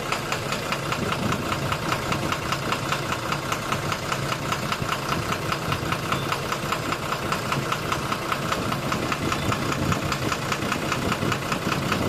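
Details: 12-M FE engine at a smooth idle with an even, sharp knock about two and a half times a second; engine knocking, cause unknown.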